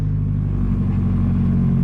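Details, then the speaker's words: 1997 Toyota Tacoma, $500 wrecked auction truck, first start, low on coolant: loud, deep, hollow, raw idle drone from nearly straight-pipe exhaust that quiets as it runs; owner thinks a couple of pinholes leak. Exhaust leak. "Oh, I gotta put some coolant in it, but a little loud. It definitely quiets up, and I think there's a couple pinholes in the exhaust that'll have to seal up."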